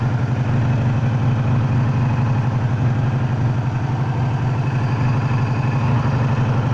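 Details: 1984 Magna V30 V4 motorcycle at idle: steady low pulsing with a buzzing edge from the clutch/crankcase area, while the rest of the motor runs smooth; cause unknown.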